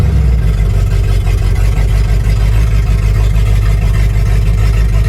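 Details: 1955 Buick Roadmaster rescued after sitting over 20 years in a yard, now driven: deep, steady V8 burble at low speed with an even beat and no knocks or misses; the engine runs healthy.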